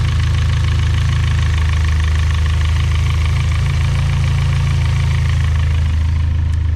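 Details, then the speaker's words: Built engine at idle after changing from 20W-50 to Valvoline 5W-20 oil: a steady idle with a light, fast tick in time with the engine, not quieted by the thinner oil, just as loud or louder: valvetrain lifter tick. "it sounds just as loud if not louder in my opinion uh so that was a loss"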